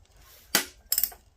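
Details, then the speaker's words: Vanguard engine not running, turned slowly by hand, click located at the exhaust valve area, clunky loose noise inside when moved: two sharp metallic clicks. Broken camshaft striking the exhaust lifter. "Once upon a time, there was a little engine that made a noise no engine should really make."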